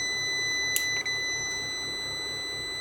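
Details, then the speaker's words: Hybrid inverter after workshop repair of its power supply (degraded transistor gave PWM controller ~4 V), powered up with original transistor, PWM controller now 17.3 V: steady high-pitched beep over faint room hum, error 01 because cooling fans aren't connected; won't start without them. "Тут помилка 0,1. Це свідчить, що не підключені вентилятори. Він без них не запускається, поки їх не побачить."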